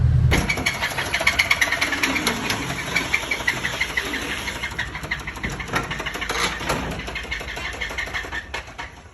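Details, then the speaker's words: Chevy Tahoe V8 bought blown-up, before rebuild, after a prior partial AFM delete that reused the AFM lifters: it runs with a loose, uneven knock about three a second at idle; cylinder 1 piston sits 1/4 inch below the deck, owner suspects the cause. "But anyways, so I found the knocking, I think. This cylinder number 1, the piston's supposed to be pretty flush with the deck, and it's not."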